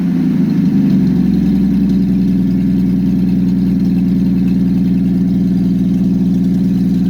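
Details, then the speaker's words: Engine with aftermarket Monojet carburetor freshly installed, exhaust off, start after about 3 weeks sitting; loud lumpy uneven open-exhaust idle that never settles, rough idle; owner suspects idle or mixture needle setting, choke needs adjusting. "It sounds terrible with the exhaust off, so I'll have to see what that idle or the mixture needle is set at."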